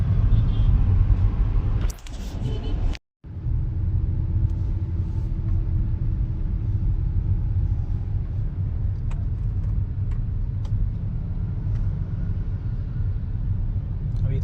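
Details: Hyundai Aura after steering column repair, test drive over rough road: low even road rumble with none of the earlier kutuk-kutuk knocking from the column; noise fixed, traction light on.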